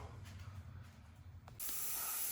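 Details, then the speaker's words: Steam heating system radiator, newly installed about two years ago and uninsulated, hissing for about two weeks amid a banging boiler: faint room hum then sudden steady loud steam hiss. "what do I hear hissing what's that noise that's from the radiator how long's been doing that for a long time"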